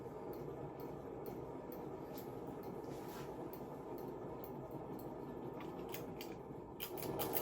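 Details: Salvaged Hunter ceiling fan motor on low speed, very loud: quiet, uneven ticking about four times a second over a soft whir of the running fan, suggesting a worn, noisy fan; cause not confirmed.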